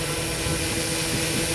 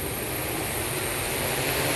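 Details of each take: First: SuperX-controlled 1100mm hexacopter during repeated attitude-mode takeoff attempts: high-pitched prop roar and rushing air swell unevenly, as if the motors kick into second gear mid spin-up; motor surge, cause unclear to the owner. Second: SuperX-controlled 1100mm hexacopter that tipped on takeoff, fix being lower CG and attitude mode: in attitude mode the rotor buzz builds evenly as the motors spool up with no stutter or surging, a smooth, normal takeoff.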